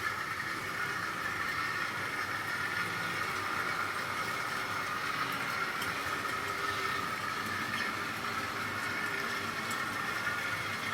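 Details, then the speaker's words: Tri-ang Class 08 shunter model loco with X04 motor fitted with one ball bearing in the rear plate, at low speed; steady fine whir, constant pitch, no rattle or grind, much quieter than before at this speed and running super smooth, normal. "Now this, as you can hear, is running quite nicely and quietly. This has only got one ball bearing fitted, and that's in the rear plate."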